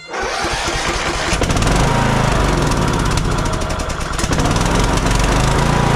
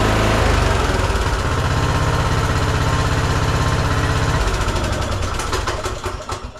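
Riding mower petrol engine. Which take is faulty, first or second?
first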